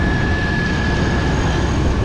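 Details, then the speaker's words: 2000 Chevy Blazer after fitting a rebuilt alternator, battery reading 13.75 V: engine runs with a thin steady high whine over the rumble, pitch constant; the noise is heard again and doesn't sound good, source unclear. "That noise again, that doesn't sound good."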